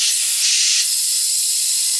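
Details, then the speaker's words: Audi B6 with 2.7T swap and 034 Motorsports Stage 3 turbo kit, boost leak test pressurised through the Y-pipe: a loud, steady, high-pitched rush of escaping air at the O-ring seal where the 034 inlet pipe meets the turbo; the O-ring is to be replaced. "so as you can hear I'm losing a lot of air through that O-ring seal"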